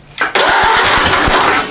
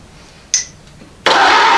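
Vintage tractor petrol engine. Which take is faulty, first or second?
second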